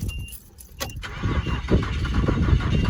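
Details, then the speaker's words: 1993 Nissan D21 Hardbody King Cab 4WD, automatic, 3.0 L V6, which wouldn't start after being parked, with newer spark plugs fitted: the starter churns in low, uneven pulses, about three or four a second, without catching. Cranks, no start. "It tries to start, but it I parked it and it wouldn't start after I parked it."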